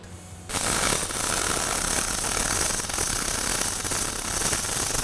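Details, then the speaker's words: Fronius Fortis 270 MIG welding aluminum without push-pull or spool gun, inductance swept from 0 to 10 along the bead: harsh crackling with heavy spatter at low inductance, smoothing out a lot as the setting rises. "There was like spatter like crazy and then all that went away and it was uh it smoothed out a whole lot."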